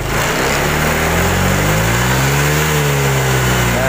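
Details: Honda Vario 125 fuel-injected scooter, throttle test watching rpm on scanner: revs up then go flat and sag near the top; bogging at high rpm, throttle position sensor suspected faulty.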